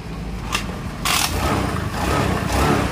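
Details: Carbureted Honda Beat scooter that died on the road with draining new battery; broken white charging wire from stator to regulator reconnected, now idling steadily with a few louder surges, no misfire or stumbling; normal idle.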